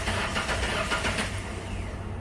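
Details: Ford Ranger with a misfire, cranked with the coils unplugged: the starter spins the engine at an even, steady pace with no catches; cranking sounds healthy, though a compression test later shows cylinder 4 at half compression.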